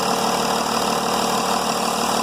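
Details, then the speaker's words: Mercedes E320 CDI diesel idling smoothly with even clatter, no misfire, once the EGR valve returns to normal; EGR opening during warm-up caused stumbling, and a disconnected swirl flap linkage was the main cause. "you let go of it it goes back to normal and the car runs beautifully no misfiring no"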